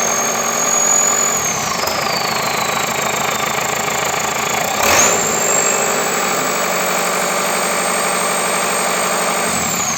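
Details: Perkins 1004 diesel in JCB 4CX, first start after full rebuild (bored block, ground crank, lapped valves, resurfaced head and block, new injection pump): steady, even idle with light clatter, no knocks or misses; normal diesel idle.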